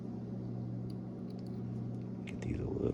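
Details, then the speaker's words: New vapor canister vent solenoid for 2008 Nissan Pathfinder (P0455/P0456), bench-tested with 9-volt battery: faint sharp clicks over steady low hum, felt by hand — normal solenoid clicking; old one silent, dead. "I don't know if the camera's picking that up, but you can hear it clicking in there. I can even feel it down here. That tells us the new one is working."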